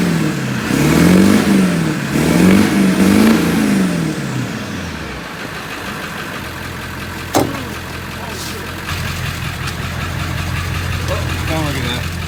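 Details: 2000 Ford 7.3 Powerstroke diesel manual dually after fuel line replacement, bleeding and starting fluid: revs up and down a few times then settles to a steady even idle, no knocks or stumbles; normal running.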